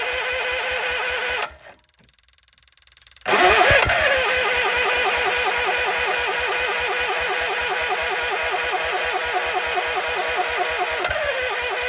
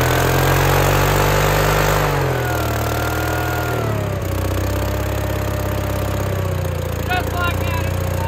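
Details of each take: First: Case 1816C skid steer sat 10+ years in a barn, cranked after the flywheel and cover were refitted. The starter grinds steadily with a few weak puffs, trying to fire but not catching; a battery charger is added to maintain the battery while cranking. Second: Case 1816C skid steer sitting 10+ years, new starter fitted, first run: engine revs high, then drops to a steady, even idle with no misses or knocks; runs normally, though it later struggled to move, owner suspects starving.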